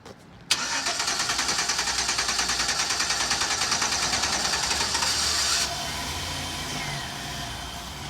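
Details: Chevy Express van with a dead fuel pump, kept running while being driven onto a lift by spraying brake cleaner into the intake. The engine catches and pulses unevenly about three times a second, then sags and fades, starved of fuel.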